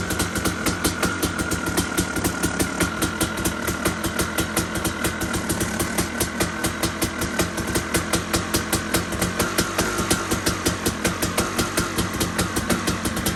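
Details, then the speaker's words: KTM 250 two-stroke enduro bike, started second kick on choke after sitting just over 6 weeks; crisp, evenly spaced pops at a steady idle, no misses or surging; running properly despite minor carb overflow spill. "started up second kick after 6 weeks, which is nice."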